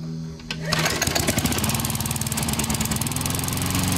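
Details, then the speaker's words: Rickel mower, 0708 manufacture date, after fixing and choke adjustment: quiet pull-start then steady, even single-cylinder putter with no knocks or misses; running smoothly. "nice and quiet not bad"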